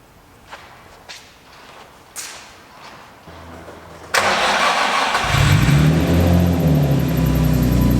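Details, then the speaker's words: Nissan 350Z after throttle body and MAF cleaning and an idle reset: engine cranks, catches and idles with a rapid high chirping and slapping from a broken AC belt that needs replacing. "also guys i want you to know that the ac belt is kind of broken so i'm going to have to replace that and that's why it sounds like that"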